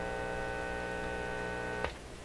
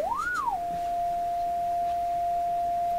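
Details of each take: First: Canadian General Electric KL-96 radio: steady low buzzing mains hum with rich overtones through the audio stage, sounding like an open ground; audio section from phono onward later confirmed working with signal generator. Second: Canadian General Electric KL-96 radio, signal-generator test tone fed into the audio stage: after a quick sweep, a clean, steady single-pitch whistle with no hum or crackle, showing the audio works from the phono input onward.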